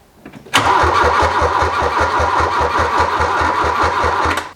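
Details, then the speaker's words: 1981 VW Rabbit left sitting over 20 years, fuel line in a gas can not drawing fuel, fuel pump suspected dead, battery weakening: steady cranking about five compressions a second, never catches; crank, no start, possibly out of fuel. "it just out of fuel is that what we think is going on"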